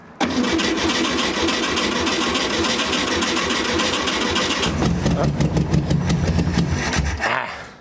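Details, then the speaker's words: Barn-find VW Beetle sat for decades, good plugs and wires, starting fluid sprayed in the carburetor as it lacks fuel: steady starter churn about four seconds, then uneven popping as it tries to catch before dying; nearly starts. "so right now dad's going to spray a little starting fluid in there I'll turn over the key see what she does"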